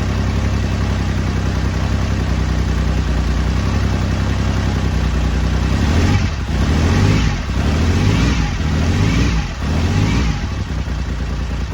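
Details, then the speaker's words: BSA Rocket Three Mark 2 five-speed (A75V) triple after a carburettor service for erratic running, choke backed off, not yet warmed up: steady, even low thrum with brief throttle dips, smooth regular firing. Normal running. "there we go uh sounds good took a little to start it because I think it was over choking it so as soon as I backed off the choke a bit and give it a more bit more air it was fine"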